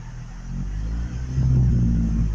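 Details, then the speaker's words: Truck that won't start properly, throttle rigged with fishing line, gas smell and still backfiring: low, uneven, lumpy idle swelling and dipping as if about to stall; owner suspects running out of gas, cause unclear. "sounds like it's gonna die. It's running out of gas. I smell gas. I have a headache. And it, like, backfires still."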